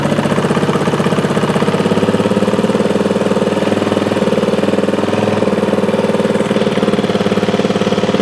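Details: 2003 Honda XR400 brought in not running, after valve clearance and cam timing checks, started after 365 kicks with idle turned down: steady, even single-cylinder thump with no misses or stray ticking; runs well, normal idle.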